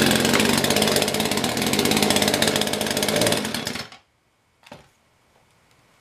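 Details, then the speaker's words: Poulan Pro chainsaw with a cold-scored piston that was sanded, plus a bad ignition coil: it screams at high revs for about four seconds, then loses power and cuts out. Carb tuning can't fix it. "it is a combination of bad coil and bad piston so you can replace it"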